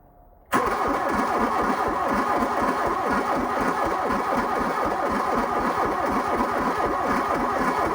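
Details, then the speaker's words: 1987 VW Scirocco 16V, sitting over 20 years: the starter cranks in a steady sluggish rhythm for several seconds and never catches, not spinning fast enough; slow cranking, no start, cause unconfirmed. "seem to have enough I mean it's got a a little bit more but it's just doesn't seem like it's got enough uh to uh get that spinning decent"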